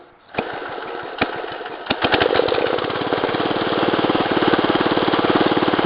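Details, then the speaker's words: 1965 Wheel Horse 875 garden tractor, choke pushed in after start, engine adjusted to run at idle: catches after a few pops, then even, steady putter that holds as load is applied; runs normally. "engage you can hear it put a load on the engine engine is adjusted so it will run at idle"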